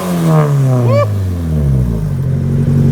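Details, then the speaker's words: Nissan 180SX Type X SR engine after swapping the cannon muffler for a 3-inch stainless dump pipe: quick blip rises and falls cleanly into a deep, steady drone, no rattles or misses; normal exhaust note. "Sounds good. For an SR. Yeah, not bad."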